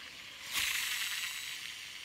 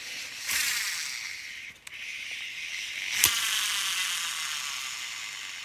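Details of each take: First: Shimano Exsence DC baitcasting reel after DC brake module replacement: spool gives a high, airy whir that starts suddenly and fades, the normal electronic DC brake whine, previously missing after a backlash and now clearly audible. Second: Shimano Exsence DC baitcasting reel spool spun, mechanical whir and rattle with no DC electronic brake whine; sound lost after a backlash, brakes still function, DC module suspected and replacement ordered.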